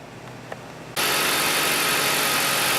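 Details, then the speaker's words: Dodge Caliber idling after replacement of the alternator decoupler pulley (ADP) and a new belt. The earlier grinding and knocking are gone, leaving a steady, even idle with no rattling. Normal idle. "and the noise is gone it runs perfectly it runs perfect you can see that new ADP right there no noise no rattling that's all it was"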